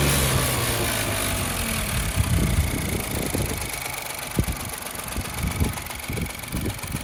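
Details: Opel Corsa 1.0 turbo B10XFT, hard or no start, cylinders 1–2 at 100 psi and cylinder 3 at 200 psi: rough uneven idle with irregular low taps and thumps, two or three a second; cause unknown.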